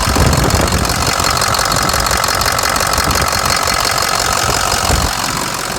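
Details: Ford F-550 Lariat diesel, manual shift, rebuilt with fresh engine, balanced rotating assembly, new Garrett turbo, injectors, harness, radiator, coolant pump and fan clutch: steady diesel clatter at an even idle, no extra knock or miss; healthy.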